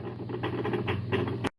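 A steady low motor hum with soft regular pulses as the tub turns smoothly; the washer is running its calibration spin normally.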